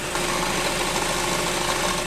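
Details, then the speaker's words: Porsche petrol engine at idle, recorded from under the raised car at the flywheel: a dense, fast metallic rattle from a worn dual-mass flywheel with excess play, fixed by removing the gearbox and replacing the flywheel. "像这个发动机的话，搭载的是双质量飞轮，这个是飞轮磨损大有间隙了，所以产生的这个响声。"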